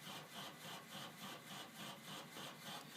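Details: Household water pipes chugging rhythmically, about 3.5 pulses a second. Thumping is felt on the cold line off the water heater and on the main line by the pressure reducing valve. Draining the lines did not help; the owner wonders about the valve.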